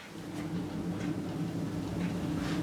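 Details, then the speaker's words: Motorcycle wheel with calipers removed and axle backed off, spun by hand: low steady rumble with faint gritty churn and slight play, from worn wheel bearings, to be replaced. "And it's not side to side because I've backed the axle off, it is genuinely in the bearings. And when you roll it, you can hear them rumbling."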